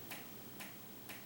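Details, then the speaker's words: Bedroom ceiling fan that has clicked for maybe over a year: sharp regular click about every half second over a quiet room; the fan wobbles, cause unconfirmed. "and you hear that clicking noise no it's not a jackhammer somebody's doing outside somewhere on the street"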